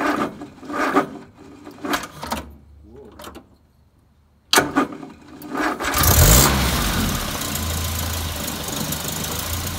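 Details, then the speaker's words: Land Rover Series 3 started with choke about halfway on a fully charged battery: a few weak, sluggish turns and a pause, then it catches and idles, exhaust stinks; slow cranking, hard start; owner suspects the starter motor, unconfirmed. "okay so you heard that really started badly that's a fully charged battery and it virtually didn't turn the engine so i don't know if there's an issue there with the starter motor"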